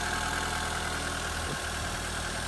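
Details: 1993 Peugeot 205 Style with an unmodified 1.1 litre petrol engine, started after five months garaged. Smooth, steady low idle with an even beat and no misses or rattles: healthy.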